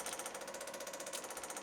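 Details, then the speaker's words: Spoolie Boi open-loop boost controller, scramble boost applied: fast steady crisp metallic ticking from the MAC boost solenoid, roughly a dozen clicks a second, audibly changing; normal pulsing. "And actually, let me give it some boost. Hear the audible change of the Mac valve."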